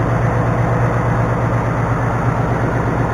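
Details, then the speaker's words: 2019 Ford Mustang GT Performance Pack 1 V8, built December 2018, 190 miles, on its factory oil before the first change: a steady idle with a busy, rickety top-end clatter over the low exhaust note; cause not pinned down. "Tell you what, man, for having 190 miles on it, it's awfully rickety. Making a lot of rattling, especially right here."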